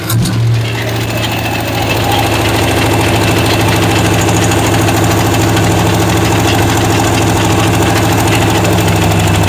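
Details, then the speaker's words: 1970 Chevy C10 with a 5.7 Vortec 350 from a 1998 van and 700R4, first start on all eight cylinders: smooth, even V8 idle with a faint ticking puff from a small exhaust leak; runs well. "A little bit of an exhaust leak, but not bad. It's actually running real nice."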